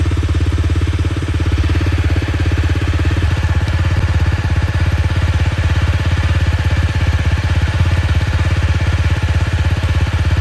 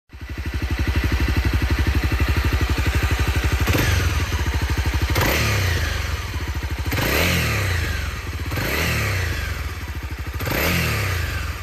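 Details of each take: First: Honda CRF250L single-cylinder engine after cam chain tensioner (lifter) replacement for a rattling noise on throttle closing: steady low thump about three beats a second, even with no top-end chatter; normal running. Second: Honda CRF250L single, repeatedly blipped; light metallic rattle as revs fall off throttle, likely slack cam chain, with the cam chain tensioner lifter replacement as the suggested fix: cam chain rattle.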